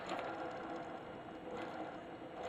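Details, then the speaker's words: Pellet stove exhaust blower motor, removed from the stove: rough, gravelly, uneven scraping whirr from worn bearings, worse when hot; one bearing already replaced with a skateboard bearing, the other still bad. "okay this is a blower exhaust blower out of our pellet stove it's horrible you hear it"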